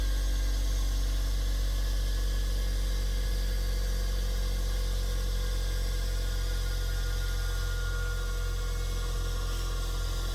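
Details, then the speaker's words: Bench grinder (3600 rpm), power killed: deep smooth hum slowly falling in pitch as the free wheels coast down, no knock or rub; long spin-down is normal. "I've never owned one of these before, so I didn't know that this is the normal function, but I mean, it seems like what this is what's happening is that it just has that much energy in the motor."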